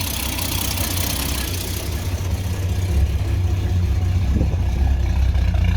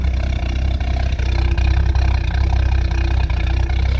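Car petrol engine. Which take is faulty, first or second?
first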